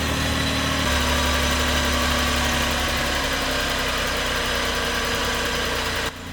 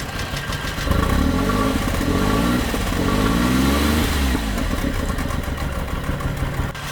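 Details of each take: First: Flood-submerged Suzuki Cappuccino 3-cylinder turbo after tapping the stuck injector free: brief change in note, then settles into steady even idle with no stumble, all cylinders firing; normal idle. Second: Flood-submerged Suzuki Cappuccino 3-cylinder turbo after tank cleaning: lumpy, stumbling running, about four pulses a second, never settles, only two cylinders firing; misfire blamed on a stuck fuel injector.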